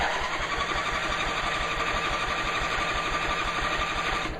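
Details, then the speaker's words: Knocking Craftsman mower engine with 400 hours, cranked by the starter during a compression test reading about 70–75: even compression pulses, about three a second, with no knock or hiss. Rings are judged good and no oil burning was seen; normal cranking compression. "there's nothing wrong with the compression so our rings are good which is good"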